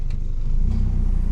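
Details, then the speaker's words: Mitsubishi E-Car 4G92 after repair of ignition, fuel, idle and airflow for poor acceleration, unstable idle and rpm drop with A/C on: low, even pulsing at steady speed with no hunting or dips; idle stable. "นี่รอบเดินเบานิ่งเลยนะครับ"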